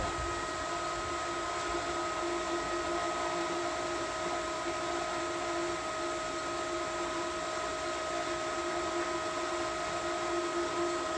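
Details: Pool pump running while priming: steady motor hum with a few fixed tones and an airy rush on top, no knocking or grinding; normal priming operation.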